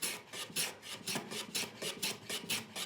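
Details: Hand planing a board clamped in the vise, pushing into the bench body to eliminate vibration: even rasping strokes about twice a second with a clean hiss and no juddering; smooth, solid cut.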